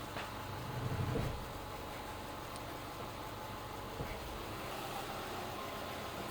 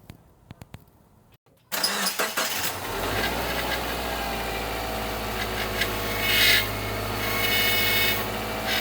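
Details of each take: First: 2011 Subaru Impreza Outback Sport power steering pump after replacing the leaking O-ring on the upper feed hose from the reservoir: low, smooth idle while the wheel is turned, the earlier squeal/groan mostly gone, system dry and level steady. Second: At start-up, a persistent high whine rides over the idle of a 2011 Subaru Impreza Outback Sport power steering pump, present for weeks. Fluid leaks where the upper feed hose meets the pump, and a failed O-ring is assumed; this is before the repair.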